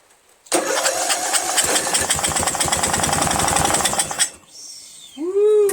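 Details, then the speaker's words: Replacement Briggs flathead engine on Murray Select lawn tractor: about four seconds of steady cranking never catching; has compression, engine not blown, owner suspects oil-filled carburetor; cranks but won't start. "so the engine is not blown it does have compression and it's just carburetors probably filled with oil so it's there's no way it's gonna start"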